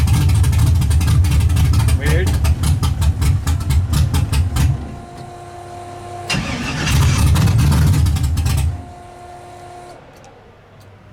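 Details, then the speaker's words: Engine first start after carburetor was removed, cleaned and fuel run through: catches, runs rough with loping stumbling beat, then dies; sounds like firing on half the motor, owner suspects wiring or a loose plug connection. Misfire. "It sounds like it's only firing on half the motor."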